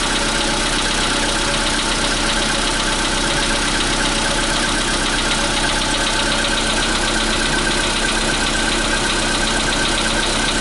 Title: 2018.03.12 POLO SEDAN 2015 СТУК ДВИГАТЕЛЯ НА ХОЛОДНОМ ПУСКЕ